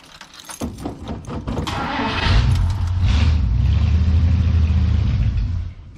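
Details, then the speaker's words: 1959 truck with a 326 cubic inch engine, cold start after sitting a few weeks: the starter churns the engine over steadily for several seconds with no firing. It cranks but won't start because it is out of gas. "and i think she's out of gas"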